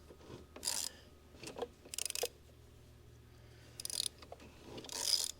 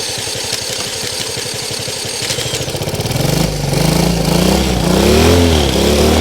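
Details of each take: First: Previously seized Honda CL90 engine turned slowly by wrench after PB Blaster was sprayed into the cylinder: short bursts of dry, gritty rasping, still tight and crunchy on the first rotations, loosening slightly. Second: Honda CL90 freed from a seized engine, with oil added and exhaust loosened: cranks, catches, then revs rise and fall smoothly with a clean, even beat; first successful run, running normally.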